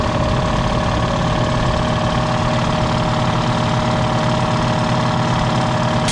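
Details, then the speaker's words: Black Diamond 60-gallon air compressor, about 1.5 years old, after its hammering factory pump was replaced with a Harbor Freight pump on 30-weight compressor oil; steady even chug, quieter than the old pump, pumps to about 120 psi and kicks back in near 100 psi. "there we go pumped up to about 120. it kicks back in about a hundred that should be all right"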